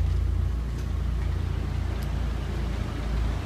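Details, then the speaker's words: 1996 Mitsubishi Lancer Evolution IV GSR, right-hand-drive JDM import: steady, even low idle, no knocks or misses, faint blower fan hum from heat or AC running; normal idle. "you can probably hear the fan running right now just cuz I got the heat on so maybe the AC on actually so that's why the fan just blowing but it's beautiful it runs and drives"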